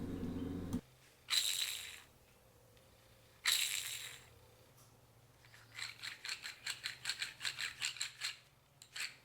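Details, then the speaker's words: Clutch release bearing (collarín) removed from a small pickup that made noise when pressing or releasing the clutch, spun by hand: dry gritty rattles and quick ticks slowing as it coasts; bearing completely dried out, cause of the noise, needs replacing. "completamente reseco lo que es el balero este collarín es la causa del problema en la cabrera que estamos viendo"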